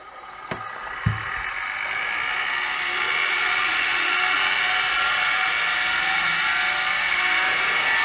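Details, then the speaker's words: Soviet Peleng 1240GS gyro-stabilized binoculars, run from added 12 V lithium pack: switch clicks, then the gyroscope spins up with rising whine over a rough, hissy whir; the worn bearings don't sound healthy but it works. "Yeah, and the bearings don't sound that healthy anymore, but it works."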